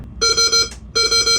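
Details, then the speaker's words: Boat anchor watch alarm test after setting the anchor alarm, chosen from bells and beeps options: sharp high electronic beeps in groups of three about a second apart, described as old-school, like a floppy disk put in wrong. "sounds old school. I like it. You're down with that one? Yeah, it sounds like you put a floppy disk in wrong."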